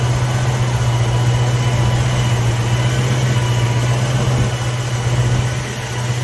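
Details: 1960s Ford Mustang 289 V8 automatic, described as running super rich: steady deep idle, even low hum, no misses; timing right on the mark.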